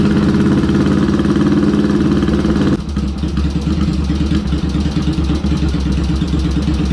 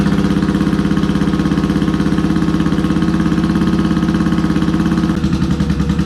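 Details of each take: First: Yamaha XS650 with BS34 carbs, pilot screws about two and a quarter turns out, second plug wire reconnected: steady, even low thumping idle firming up as both cylinders fire cleanly; idle pretty darn close before balance check. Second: Yamaha XS650 with BS34 carburetors, one cylinder running at idle: uneven thumping idle slows as the pilot mixture screw is turned in, then is backed out to about two and a quarter turns (near factory setting).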